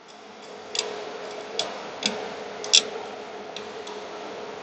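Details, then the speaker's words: XFX RX 580 graphics card after cooling fan replacement, fan turned slowly by hand; a few sharp, uneven ticks, blade suspected striking a raised mounting screw head, possibly from pressing down: fan ticking. "I do believe it is striking that screw head. That might be because I'm pressing down on it when I'm spinning it."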